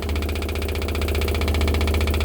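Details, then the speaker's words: 1969 Pontiac GTO during a FiTech fuel-injection conversion, engine off, in an interior noise test from inside the car: the Holley electric fuel pump runs with a constant deep drone and fast, even pulsing. It works but is louder than wanted. "it's a little louder than i like hey so here's the interior noise test i'm gonna turn it on yeah it's gonna annoy the crap out of me"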